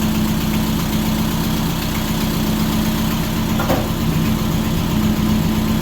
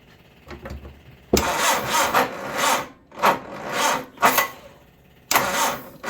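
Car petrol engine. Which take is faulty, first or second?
second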